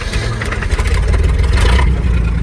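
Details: 1969 Chevy C30 truck: the engine runs under a loose metallic rattle caused by the transmission having no fluid. After refilling there was no rattle in gear.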